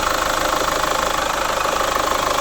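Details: Chevrolet Captiva FL diesel, cold engine: fast steady starter churn that never catches, hard cold starting; also weak pull, turbo roar, smoke on acceleration; fixed by full cleaning, turbo hose, throttle elbow bracket, injector rings and check valves.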